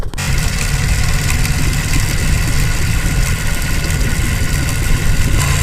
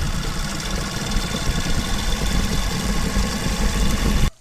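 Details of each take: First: Motorcycle after engine rebuild: steady low idle with a light clicking from the chain side keeping pace with engine speed; sprocket installed reversed, fix by flipping it. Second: Motorcycle single-cylinder engine after rebuild, chain clattering noise fixed by reversing a part: even steady thump at idle, no chain clicking, then shut off; running normally.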